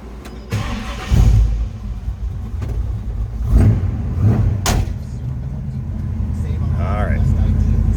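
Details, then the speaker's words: 1969 Chevrolet C10 with bored-out 454 V8, 2913 miles: quick crank, catches at once, deep steady rumble easing down from fast idle; healthy start. "you can hear the snark that engine has down off the higher idle nice little rumble to it now sounds good"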